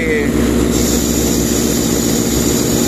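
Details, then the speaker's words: Sullair 260 diesel compressor: steady even drone with no hunting, knocks or surging; accelerates and decelerates without problem; normal running. "como se activan se acelera sin ningún problema no vamos a abrir a casa el motor acelere y desacelere sin ningún problema o sea no tenemos problema"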